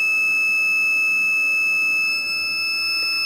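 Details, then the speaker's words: A Suoer LDA-1000C inverter gives a continuous high-pitched beep, steady for several seconds with no pulsing, because its battery is dead; a low-battery warning before a charger is hooked up to boost the battery for 12 V testing. "this means the battery is dead. So I'm going to install and hook some charger in order to boost the voltage of the battery, and so I can test it in a 12 volt normally."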